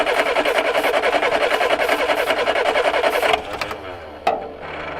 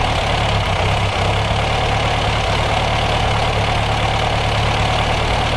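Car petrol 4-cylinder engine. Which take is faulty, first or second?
first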